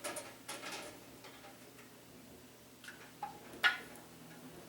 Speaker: that is music to our eaters that means we did it right and our jars are sealing up in our barbecue sauce we can safely store until we're ready to use it